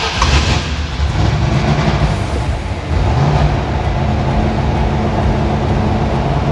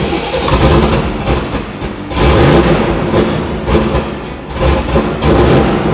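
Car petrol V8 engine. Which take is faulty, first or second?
second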